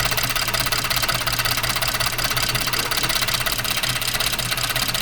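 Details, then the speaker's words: 2014 Ford F-150, 3.5 EcoBoost: uneven idle with a repeating stumble under top-end clatter after the coil connector was reseated. Cylinder 6 is still not working properly and the coil is to be checked next: cylinder misfire. "Todavía sigue el número seis, no trabajando bien."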